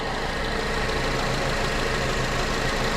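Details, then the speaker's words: 2006 Honda Accord after no-start fix: steady, smooth idle with no knocks or misses, sounds good; odorless white smoke from tailpipe, needs a test drive to burn it off. "it's running and it sounds good, so I think I just need to take it for a test drive like I've been saying, and go from there."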